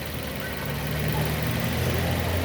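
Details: 2006 Nissan Y11 AD, QG15 e-throttle engine at normal idle after leaving scan-tool VVT actuation; intake valve timing between 0 and 1 degrees. Low steady idle hum, even firing, no knocks or surging: normal idle.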